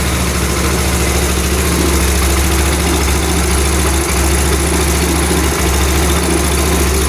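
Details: Yamaha Mio scooter, used, that kept dying and losing spark from a bad ground wire, idling after a ground wire was added: even low putter with steady rhythm, no misses or knocks; normal idle.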